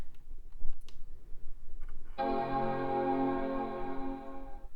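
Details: iMac G4 being tested after disassembly and refresh: after some handling noise, a clean sustained chord rings for about two seconds; normal startup chime.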